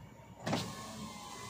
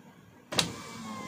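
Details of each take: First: 2023 Toyota Avanza G 1.5 A/T driver-side front power window after repair: short quiet motor whir, no click or snap, on auto up and down; previous clunk from loose bolts fixed, now normal. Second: 2023 Toyota Avanza G 1.5 automatic, driver's front power window: one sharp click as the glass starts moving up or down, then the motor's steady whir.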